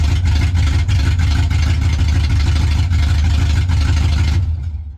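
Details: Chevy truck being finished, first start before driving it under its own power a short distance; loud even low rumble with steady lopey pulse, no knocks or misfires; normal running.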